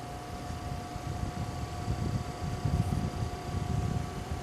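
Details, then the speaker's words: GTX 780 Windforce graphics card fans at 50% speed: soft steady airy whoosh with a faint constant tone, no rattle or grinding; quiet, normal fan noise. "it's it's a very quiet card now I'm going to pump it up to 75 now you'll definitely hear it and finally to 100"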